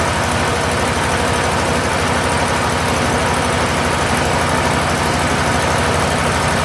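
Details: Steiner 230 with Kubota gas engine, restarted after a stall owner suspects was air in the fuel line: steady even low rumble with smooth unbroken beat, no misses or knocks; normal running.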